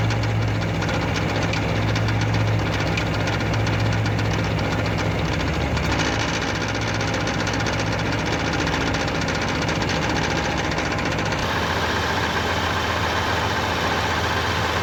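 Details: Idling 1989 Pontiac Firebird 5.0L 305 V8 with loose, uneven metallic rattle from flexplate area; louder when AC kicks in, changes or disappears shifting P/R/D/N. Flexplate bolts tight, no visible cracks; slip yoke has slight play; cause unknown.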